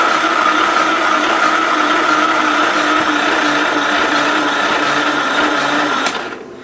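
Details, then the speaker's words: 1968 Gravely 430 with a tight engine and a replacement starter from a spare, on a jump box: steady starter whir with about four labored pulses a second as it turns slowly and never catches, showing only one or two sparks; weak jump box suspected. "I saw one or two sparks there I would not be enough to make it run but it also sounds like his battery isn't powerful enough this jump box"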